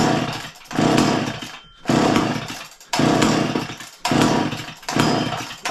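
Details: Garage-sale two-stroke chainsaw after heavy fueling: short bursts about once a second fire and die straight away, never catching. Owner unsure whether it needs more or less fuel; sputters, fails to start.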